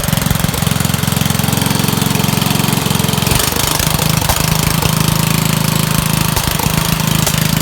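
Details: Dump-find Rugg carpet-cut tractor small engine after cleaning a very dirty carburetor and adding a fuel filter; choked, started on 3 pulls. Loud raspy single-cylinder putter, steady after brief speed change, muffler toast; normal running.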